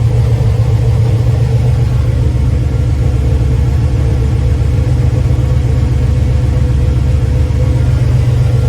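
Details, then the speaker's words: LS-based V8 shop truck just after a Howard's Rattler cam swap without changing springs, new exhaust, not yet tuned for the cam, warming up; deep, choppy idle with steady rhythmic lope, no knocks or ticks, running as it should. "Sounds good. Like I said, I still gotta get tuned for this cam."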